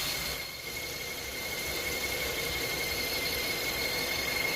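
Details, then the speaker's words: Hyundai Tucson with a squeak that has lasted for weeks: a thin, steady high-pitched squeal over the running engine that persists after spraying soapy water; an accessory belt squeal, with the owner suspecting the crank pulley. "That's the noise that it's been bugging for the past few weeks."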